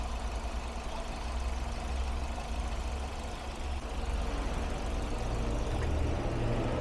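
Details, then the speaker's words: Ford Focus with three failed ignition coils and water found in coil area: low steady idle hum with an even beat, no stumbling or shake; much more stable, every cylinder now working. "Take a look, it's much more stable now. It's not shaking at all."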